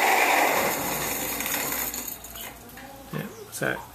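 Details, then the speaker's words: Sirem agitator on Fabdec tank, 2700 rpm motor reduced to 25 rpm paddle: loud rough whirring grind at startup fading as it runs down, with scattered knocks; gearbox worn out, motor bearings suspected, replaced. "Safe to say the gearbox is gone."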